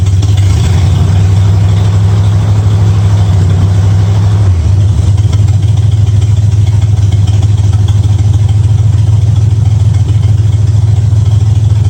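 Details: 1965 Ford Mustang V8 idling after fitting new headers, setting timing to 12 degrees before and turning the front-adjusted idle screw three quarters of a turn; deep steady idle settles to a slightly lower even beat, sounds real good, normal idle.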